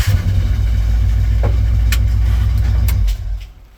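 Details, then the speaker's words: 1977 Ford with turbo 351M, newly installed MSD ignition box and 2-step, timing set uncertainly, battery on tender at 12.5V: heavy, uneven low thumping as it tries to fire, dies after about three seconds; abnormal noise on starting. "okay that was a bad noise I wonder what I broke this time"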